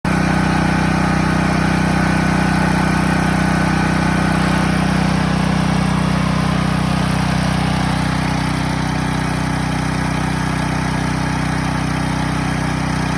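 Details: Promate PH5600 6kVA gasoline generator running: steady, even engine drone with a strong low hum and no knocks or misses; it sounds unusually loud, cause not evident.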